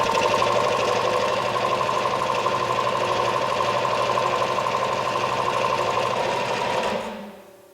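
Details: Eaton/Ingersoll Rand piston air compressor, retrofitted with a 7.5 hp motor starter, chugs at a steady, rapid rhythm, then shuts off and spins down; runs normally, though a fitting leaks air.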